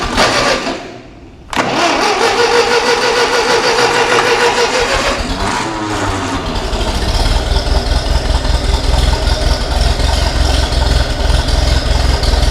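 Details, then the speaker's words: Ferguson TEA20 tractor with rebuilt engine, long stored: cranking whirr, then the engine catches and settles into an uneven tick-over after the carburetor air and fuel mixture screws were adjusted. "Like a little kitten, isn't it? Purring like a kitten, as they say."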